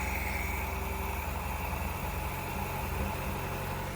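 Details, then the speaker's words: Nissan Hardbody after engine swap, once a missed unplugged injector was plugged in: even steady idle, smooth low rumble, no stumbles; earlier slight misfire fixed, runs really good. "There we go. That's way better. Oh, that actually that runs really good."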